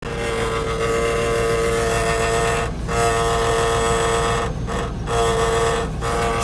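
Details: Range Rover P38 at idle, noise from under the body: steady metallic buzzing drone with ringing mid-pitch tone, caused by the exhaust muffler heat shield resonating; exhaust heat shield rattle.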